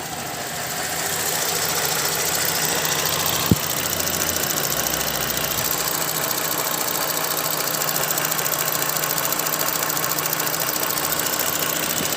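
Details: Holden VZ Commodore petrol engine, 137,000 km, drives well, idling with a fast, light, crisp steady ticking; owner told it may be the EVAP solenoid but wonders if lifters, cause unconfirmed.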